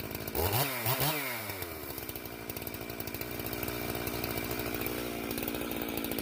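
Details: Stihl MS391 chainsaw just after muffler mod, first run: revs and holds thin high-pitched scream at full throttle, lean on the high-speed side as suspected, needing a high-needle tweak to richen back into range.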